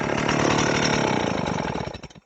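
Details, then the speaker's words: Old Stihl 038 AVEQ chainsaw after a carburetor swap, freshly fueled, brought to idle then flipped over: fast two-stroke buzzing that sags and dies within about two seconds; worn original crank seals are suspected. "so I'm thinking there's probably something wrong with the crank seals on this, but it does run."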